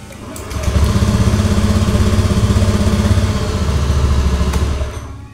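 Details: Honda Beat FI (digital) scooter with intermittent hard starting and stalling, restarted with the side-stand switch bypassed: it fires up and holds a steady, even idle putter of about four beats a second without stalling.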